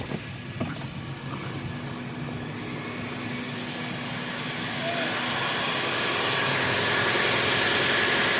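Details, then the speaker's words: Toyota RAV4 hybrid in maintenance mode, petrol engine kept idling instead of shutting off: steady even idle growing slightly louder, no misses or knocks; normal idle. "All you gotta do is turn it on, and it will be idling without turning off. Because without this, your car will turn on and then it'll turn off in a little bit because it's a hybrid."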